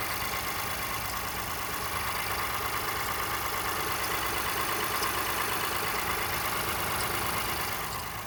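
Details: 2018 Honda Ridgeline Sport petrol V6, about 30,000 km: intermittent high-pitched chirp/squeak from passenger side of engine at cold-start idle, parked, not in sync with RPM; goes away once warmed up; recurred on three occasions.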